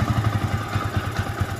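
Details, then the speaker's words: Yamaha Vixion motorcycle engine before rebuild: single-cylinder idle with coarse lumpy low thump about ten per second and rough clattery edge; rough noise traced to worn balancer shaft bearing, replaced while crankshaft bearing judged still fine. "setelah kita ganti bagian bearing balancernya kemudian di bagian bearing Kokas Saya rasa ini masih bagus halus putarannya jadi enggak saya ganti ya"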